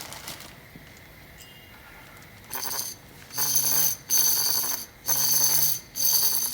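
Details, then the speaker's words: Trailblazer/Envoy wheel hub removed during hub replacement, spun by hand: uneven rough bursts with a ringing, almost musical whir from the rusty worn bearing; a new hub is silent. "it's not supposed to sound like that it sounds like it's trying to make a musical it's like it sounds like a new instrument"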